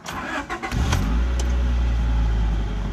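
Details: 1992 Honda Prelude Si engine bay: short crank, catches within a second and settles into a steady, even idle; starts clean, with slight power antenna sticking noise heard.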